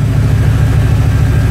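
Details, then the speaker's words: 1995 Chevy Silverado C1500 after a full rebuild: 383 stroker with a 400 crank, high-rise intake, new sensors, electric fans, headers not yet fitted. Deep, steady V8 idle with an even rumble and no knocks or misses; normal idle. "so yeah yeah it's running great so I got it up and running got it going now"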